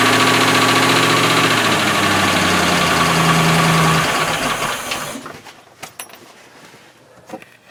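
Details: Boat V8 engine with Cobra outdrive, newly got running and started with the key, still needing a lower unit: steady, even beat with no knocks, then clean shutdown after about five seconds; normal idle.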